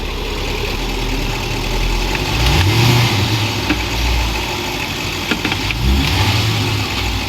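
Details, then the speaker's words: Land Rover Range Rover at higher mileage: steady idle with sharp clunks from under the chassis as reverse engages, caused by the hard-plastic press-fit mount bushing on the differential loosening and shifting under engine torque; fix is an improved bushing. "它这个异响的源头呢，就是插销器上面的固定胶套发出的异响。"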